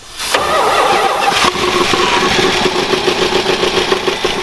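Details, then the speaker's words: Mopar V8 that sat in the desert 20 years, first start: quick crank, fires at once and settles into a steady, even idle with no misses or knocks; runs great. "Immediately. It runs great. Not only did we get the firing order right the first time, 20 years later it fires right up."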